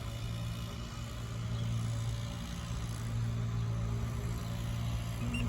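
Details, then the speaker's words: Old central AC outdoor unit with 110 V on each leg: the compressor gives a steady low hum and never starts, drawing about 70 amps. Cause is a failed, swollen dual run capacitor that kept both the compressor and fan from starting. "it's going to try to start up she looks a little swollen too there it is compressor almost getting 70 something amps of power"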